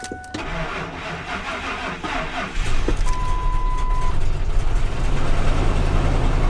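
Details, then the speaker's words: Salvage-auction automatic: cranks and catches, then the idle pulses unevenly with stumbles in the low rumble, door chime heard. Runs rough and misfiring. "It's a little rough. A little rough."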